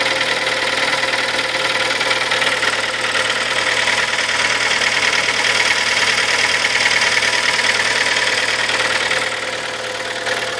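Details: Kia Sportage, 43,000 km, 4.5 years old, Shell Helix Ultra 5W40 oil. Bright, fairly regular ticking knock at about three per second over a steady idle; cause not pinned down.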